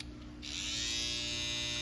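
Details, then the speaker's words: BaByliss FX hair trimmer, previously loud and not cutting, after fitting a new oiled blade: smooth, steady, even buzz with no rattle, super quiet and cutting again. "Super duper quiet."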